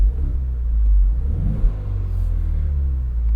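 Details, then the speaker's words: 2025 Ford Mustang EcoBoost Convertible in custom quiet exhaust mode: deep, muted rumble that swells briefly with a throttle blip then settles; smooth, healthy running, noticeably quieter. "Right here, I have my custom mode to have quiet exhaust. You can hear how much quieter it is."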